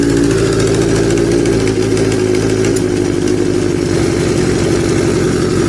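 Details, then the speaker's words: Kawasaki Z650B four-cylinder restoration after rechecking the carburetors for a cylinder not firing: even, steady idle on all four cylinders, no misses, knocks or hunting, number one exhaust pipe now getting hot; normal idle. "I think he's running on all four cylinders let me check yeah wow I think it's running okay now number one pipe is now getting hot for the first time ever"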